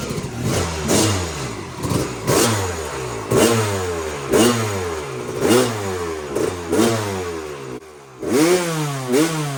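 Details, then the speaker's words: 2001 Kawasaki KX250 two-stroke after the carb needle clip was raised to position two to lean the mixture; uneven revving with a ragged crackle, leaner but only slightly better. The owner then adjusted the pilot mixture, and the cause is not confirmed. "it seems like it definitely got a lot leaner and it seemed like it ran a little bit better the first time but not much"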